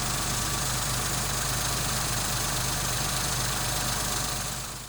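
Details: Engine after replacing a faulty water pump that had caused rattling, grinding and overheating: even steady idle with a soft ticking texture, no rattle or grinding; engine now very quiet and healthy.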